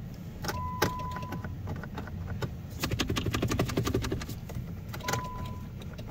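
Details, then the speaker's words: 2008 Jeep Grand Cherokee, sold with limp mode and transmission issues; key turned after wiggling battery connection: a few scattered sharp clicks and no cranking; no-start, suspected electrical or low-voltage problem. "There's something clicking. Nothing. Well, maybe in this case, they're telling the truth."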